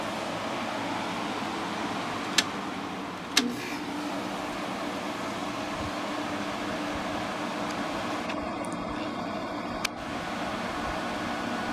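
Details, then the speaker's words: 2000 Glacier Breeze (Hampton Bay/Fedders) HBQ050 window AC, first run after condenser replacement and recharge, room about 73 degrees: a couple of sharp clicks, then steady even fan whoosh with no rattle or squeal, getting colder right away; normal running. "So we're going to start it up for the first time, fully assembled, and see what it does."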